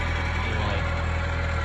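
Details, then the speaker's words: Honda after off-road accident, idling, near cold start on a hot day: loud raspy low rumble with exhaust shake; exhaust leak suspected from broken exhaust mount, calms down once warm. "Also, y'all seen that little bit of shake with the exhaust? That's one of the mounts for that exhaust piece. I guess when it hit off road it kind of um broke that mount. So, it made that um part of the exhaust leak."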